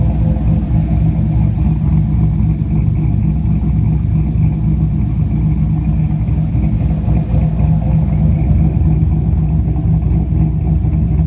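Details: 2004 Chevrolet Colorado with 5.3L V8 swap and Texas Speed stage 4 cam (223/226, .600 lift, 111 LSA), warm, tuned idle about 925 rpm, trims -3 to -4: deep choppy lope, steady without stumbling or stalling; normal cammed idle.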